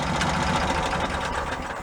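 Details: Cushman meter maid running on a stand with a newly fitted custom exhaust made from a motorcycle muffler: quick, light ticking over the idle at a steady rate from loose valve clearances, so the valves need adjusting.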